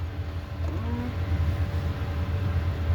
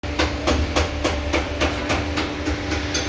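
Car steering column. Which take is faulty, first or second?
second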